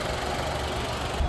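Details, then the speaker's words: Nissan Magnite that would not start after being pulled from water, now running after an HDM fault was cleared and a new HDM fitted: smooth, even low idle with no knocks, misses or rattles; normal idle. "तो guys बिल्कुल perfectly यहां पे गाड़ी start हो चुकी है जो कि पहले गाड़ी स्टार्ट नहीं हो पा रही थी।"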